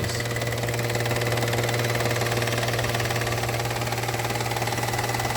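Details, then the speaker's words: Whirring noise at idle from a 2015 Peugeot 308 1.0L three-cylinder with 34,000 miles and full service history. It sounds choppy, with a deep, slightly uneven hum and a faint steady whirr with a thin ringing tone. The whirr is new and stops when the engine is switched off. "But then there's this worring noise"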